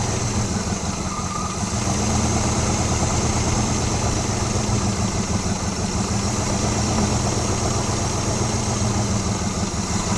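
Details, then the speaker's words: 1980 Pontiac Firebird, 301 V8, first start after sitting 17 years on gravity-fed fuel: steady, very loud idle with deep rumble and much exhaust hiss; running, with many vacuum leaks at carburetor. "whoa that was loud all right nice thing is it's running now"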